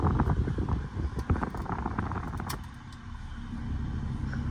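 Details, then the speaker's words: Copart auction car, 96°F day, AC not yet felt working: low even idle under handling clatter; brief skip at start went away, then steady normal idle, engine sounds healthy. "let's give it a little Rev engine sounds healthy engine sounds healthy"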